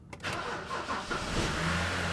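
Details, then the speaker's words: 2008 BMW 328i six-speed manual, after a CAS module repair and not having been fuelled in a while: short crank, catches at once and settles into a steady even idle; normal start. "that's probably cuz it hasn't fuel in a while but it started that was a good start that was really good it just started fire it up right up man"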